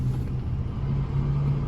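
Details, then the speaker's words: 2013 Ford Escape petrol engine idling with a low, slightly lumpy rumble, check engine light on, P0304 cylinder 4 misfire; compression, coils, plugs and injectors not yet checked. "check engine light on and now look at this we have the misfire and cylinder number four we're going to clear it all"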